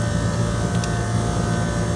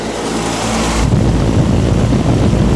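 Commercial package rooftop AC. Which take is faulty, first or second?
second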